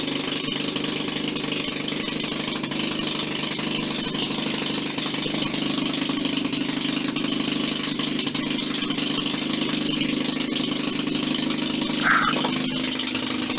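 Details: 1940 Maytag model 72 twin-cylinder air-cooled gasoline engine (a hanging washing-machine engine), rebuilt with new rings after being found tight: a steady, even putter with no knocks or misses, running well.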